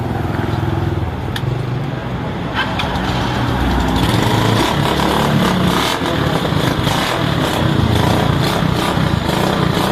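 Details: Rusi motorcycle, small single, test-run after fixing sudden stalling and no-start: keeps running with a steady putter over outdoor background, no knocking or dying out; sounds healthy now.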